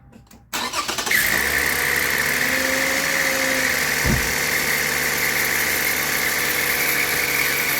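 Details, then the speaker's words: Toyota Avalon started before alternator replacement: a steady high whirring buzz over the idle that sounds like the alternator clutch pulley, which may be failing; alternator overrunning clutch pulley noise. "Oh, yeah, the clutch pulley. That's exactly what it sounds like. The clutch may be failing."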